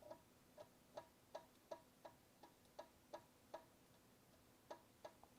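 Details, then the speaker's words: Faulty power supply on the bench: soft, sharp ticks about three per second in a quiet room as it repeatedly tries to start and shuts down, barely any output while boost voltage spikes above 400 volts. "It sounds like it's trying to start."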